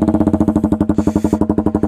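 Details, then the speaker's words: KTM RC125 with unbaffled Danmoto XG-1 performance exhaust at steady idle: fast, even, deep popping beat, loud and raw with no muffling; loud unbaffled exhaust on a healthy engine. "now growls. It is a very angry bike now."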